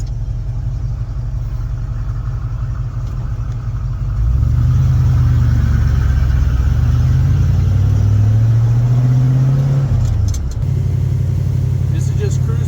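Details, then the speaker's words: Big-block Ford V8 truck with 750 CFM Brawler carburetor, fully warmed up after hauling a car on a trailer: deep, smooth, even rumble climbing steadily in pitch through the gear, no misses or knocks; runs great once warm. "Okay, just got done hauling a car on the car trailer. Fully warmed up. This thing runs great."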